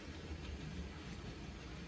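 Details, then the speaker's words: ATF model loco, after the slipped commutator that rotated on its shaft was put back in position: quiet steady low hum with even whirr, no catches or surges; running well. "right now the ATF is running really nicely after that uh slipped commutator after it just rotated on the shaft it's now back in the correct position and the motor's going well"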